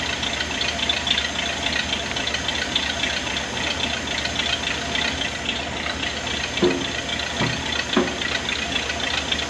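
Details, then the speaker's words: 1979 Ford barn-find truck, carbureted, first start-up: steady idle with a fast, sharp puffing tick, a blown exhaust manifold gasket. "it was quieter until blew that exhaust lle gasket"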